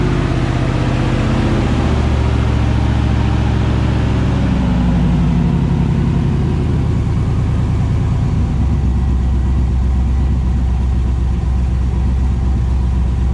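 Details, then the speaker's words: 5.3 V8 with Texas Speed 224r cam, untuned, first run in the truck: strong even rumble settling from a rev to a steady idle, no ticking, clanking or knocking; sounds healthy. "so all right so it's alive it ruins there's no there's no uh clanking or clinging or banging or"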